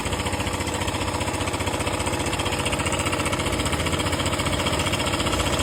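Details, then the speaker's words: KTM 125 single-cylinder at idle, before repair: fast metallic rattle about four beats a second; slack cam chain from faulty cam chain tensioner. "एक KTM 125 में चैन स्टेशनर खराब होने के कारण आवाज आ रहा था।"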